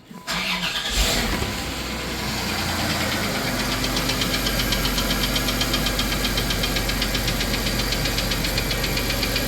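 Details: 1993 Plymouth Grand Voyager SE, 18 years parked, with a vacuum leak unplugged: idle with light quick ticking steady with speed, noisy lifter suspected, not confirmed.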